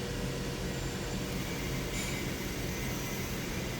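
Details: 2007 Lincoln Town Car V8 after replacing faulty cylinder 7 ignition coil: smooth even low idle hum, no skipped beats; power balance shows no misfire, codes cleared. Normal idle after repair.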